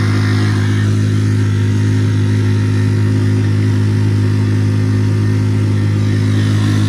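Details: Normal running under load on a Tohatsu 3.5 outboard on a West Marine PRU-3 inflatable with an upgraded prop and a Doel fin, fitted to fix surging. Trim was all the way down, at about 8.1 knots. A strong, steady low drone holds constant pitch with no surging or rev flare.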